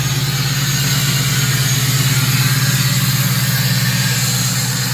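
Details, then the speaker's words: LBZ Duramax diesel with 343k miles, first drive after sticky turbo vanes cleared: even, steady idle with a smooth regular beat and a thin high turbo whistle on top; purrs and whistles like a jet, sounds healthy. "she purrs like a freaking kitten and whistles like a jet"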